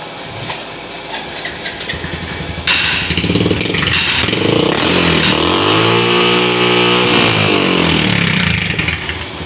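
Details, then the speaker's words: Yamaha injected motorcycle during CO adjustment (usually set 23-25, up to 30): small single starts, revs and falls back to even idle without hunting or misses, street noise behind; normal idle. "kondisinya normal gini kalau kita naikkan pastinya ada perubahan di kondisi langsung motor ini sampai 30 kalian RPM ya"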